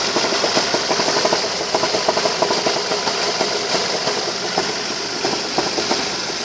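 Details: Ford Focus 2, 2.0 L 145 hp 16V Duratec: strong irregular sharp knocking at idle, about three per second over a rattly engine note; owner asks what it is, source unclear.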